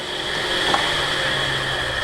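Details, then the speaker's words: Audi TT Mk1 8N: steady mid-pitched fan whine with airy rush, no engine running, cooling fans keep running with key out; suspected failed fan regulator, to be replaced. "see the fan runs yeah can you hear them starting up key out fans are running"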